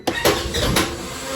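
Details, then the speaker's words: Irregular clunks and metallic clatter while cold cranking (engine at 60 degrees) a 2017 Polaris Ranger after a rebuild. The owner says the weak one-way starter drive is unhappy; it needs a second hit to start. "yeah as you guys can hear that one way is not happy but it does start it normally gotta hit it the second time"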